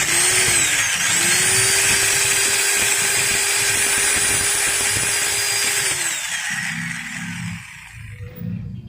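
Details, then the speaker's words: Maktec MT90 angle grinder after replacing the pinion gears; steady high whine at full speed with faint rough crackle from fresh gears that should smooth out with use, then a clean spin-down; gearbox healthy. "suaranya seperti itu guys tapi jangan khawatir nanti setelah dipakai beberapa kali juga ini suaranya akan halus"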